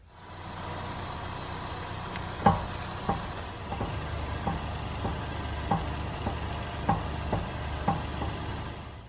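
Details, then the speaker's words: 2019 Honda Accord idling, heard from the driver's side as the steering wheel is rocked: sharp, irregular clunks that the driver also hears while driving, traced to a worn tie rod end. "hopefully you heard that noise it's a clunking noise"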